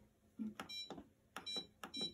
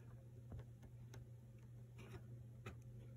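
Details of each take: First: Maytag MDB8959SFH dishwasher after repairing the sinking start button with a homemade wood support: button clicks then three short high beeps about half a second apart; cancel function answers normally. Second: Maytag MDB8959SFH dishwasher, control panel opened: steady low hum with scattered sharp clicks as the panel is pressed; the far-right start switch actuates only when its broken plastic support area is held by hand, nothing when released.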